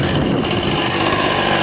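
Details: Old Ryobi RSV 3100e two-stroke leaf blower, grandfather's, running after three spark plug changes, carb adjustment and four carb membrane changes: high buzzy note holding steady fast revs without stumbling; running normally.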